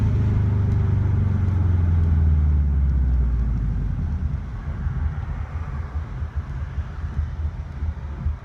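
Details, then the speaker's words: Built 2.5 block hybrid swap with turbo and stage 2 cams, just past 1000-mile break-in, heard with windows down. Deep rumble rolling to a stop, then choppy idle lope dipping and recovering; normal cam lope. "So it kind of drops in RPMs and then it goes back up."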